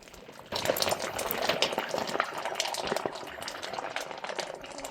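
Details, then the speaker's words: Water well casing after pouring a gallon of bleach to shock it: continuous bubbling and gurgling down the casing with no pump running; source unclear. "Oh, I hear it. It's gurgling. Listen to this."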